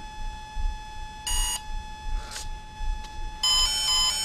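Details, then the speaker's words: Volcano 30A brushless ESC on a 450 RC helicopter in programming mode: a short single beep selects brake off, then a pause and a longer tone as the throttle is raised to confirm it. "so once again i want to break off so i wait for a single beep and then i raise it back up"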